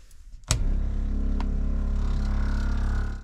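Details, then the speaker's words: Small 12V water pump in a converted van's drinking-water circuit kicks in with a click, then a steady low buzzing hum with a fast, even pulse; pump running normally. "Bon, là, ça refonctionne. Alors, je répète, tu l'entends. Une pompe, ça fait du bruit."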